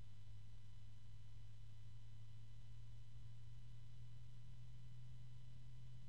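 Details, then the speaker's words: Antec P12 120mm PWM fan, rated up to 1400 RPM, run at very low speed: faint steady low tonal hum over almost no airflow noise, the tone persisting and moving toward mid-pitch. "and that tone just persists on the low end of the scale here although now it's kind of moving into the mid"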